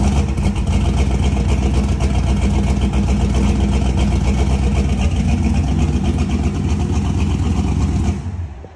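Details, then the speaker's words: Engine with a weird miss at idle; the same coils and coil extension harness gave this problem before, and a return-line fitting leaked from a wrong o-ring. Loud, lumpy, stumbling running that never smooths out. Suspected misfire, cause unconfirmed. "we're having like some weird uh Miss just doesn't sound right at all couldn't figure out what it was"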